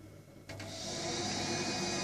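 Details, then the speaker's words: Viessmann gas boiler, ignition attempt with no gas flowing: click, fan rushes up, steady igniter hiss, no flame roar; no flame rectification, then safety purge. "You can hear the ignition running there. Trying to light the gas, but no gas flowing. Boiler's recognised there's no ignition, no flame rectification."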